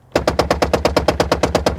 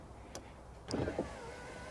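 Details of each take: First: 2000 Toyota Camry rear door power window: rapid banging machine-gun clacks about seven a second when raising the glass, fine going down; diagnosed as motor/regulator problem, regulator replaced with genuine Toyota parts. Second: Early-2000s Toyota Camry rear passenger-side door, window lowering: a short click then smooth steady motor hum with no knocking; raising the window gives a rapid machine-gun banging from the regulator or motor.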